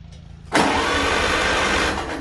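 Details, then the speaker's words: 1955 Farmall Cub tractor, gas engine, after fitting a new starter and carburetor, battery below 80% on trickle charger: starter spins the engine briskly and evenly with a steady churn; normal, strong cranking. "Ooh, that sounds good turning."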